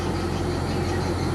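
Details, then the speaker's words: Toyota Kijang 7K-FE cold start, fast idle about 1300 rpm dropping slowly as it warms, target below 1000; even steady low hum with no knocks or misses; normal cold fast idle. "Nanti dengan seiring panasnya ya, ini temperaturnya akan naik. Ya, maka RPM akan turun. Oke, hidup pertama tadi di 1300 ya, sekarang mulai turun sedikit-sedikit."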